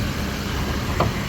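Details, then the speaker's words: 2000 Jeep Grand Cherokee Limited 4x4 with 4.7 V8, abandoned 8+ years: low, even idle burble with one brief outside clatter, no knocking or ticking; motor sounds good. "that's uh putting in some real work right now motor sounds good"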